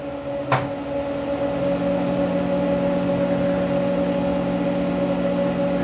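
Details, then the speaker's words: Monarch 10EE lathe, control switched on after filament timer warms tubes: click as drive transformer kicks in, then steady low mains hum with a higher tone held even; normal transformer hum. "so uh here's the control and it's control on and you'll probably hear the transformer kick down"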